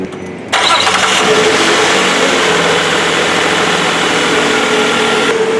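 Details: 2007 Nissan Quest, not charging, after tightening the loose alternator belt: engine catches and settles into a smooth, even hum with a steady whirr, no squeal or knock; running normally, battery light off.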